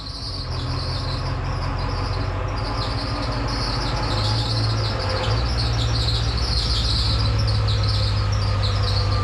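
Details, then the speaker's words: OBS Ford 7.3 diesel at idle with an overlong belt, the only one fitting all pulleys, before the dual-tensioner fix: sharp wavering chirp-squeal over the low idle rumble; the belt is likely slipping from too little tension. "Yeah, I know that hurts my ears too, and I'm pretty sure that's just because the belt that I have on there It's the longest one that I had, and it was the only one that actually fit over all the pulleys, but it's too long, so it doesn't have like enough pressure, so it's probably slipping on some of the other pulleys"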